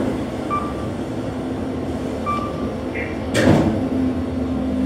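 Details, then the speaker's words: KONE EcoSpace MRL traction elevator, installed 2015, 3,500 lb capacity, 8 floors, parking garage: a steady car hum with a brief high squeak, then a sharp clatter and rushing burst from the shaft. Weird shaft noise, source unclear. "That didn't sound good. Well, that's a weird sound."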